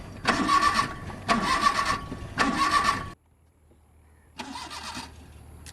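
Three short cranking bursts about a second apart, then a pause and a fourth try; engine spins but never catches. Cause suspected, not confirmed.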